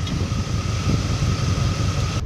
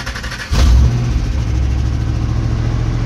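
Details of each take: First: Holley 750 carburetor on a V8 at idle, both corner idle mixture screws turned in a quarter inch: steady low rumble with faint whine, idle drops as the mixture is leaned out too far; lean idle, rpm sagging. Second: Holley 750-carbureted engine just after a cold start on a roughly 90-degree day, in neutral, warming up: deep, steady, even idle with no misses or knocks; normal cold idle.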